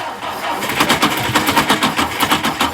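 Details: 1959 Ford Taunus 17M on its first start attempt in the USA, cranked after re-priming. The starter churns steadily at about seven pulses a second and the engine never fires: it cranks but won't start.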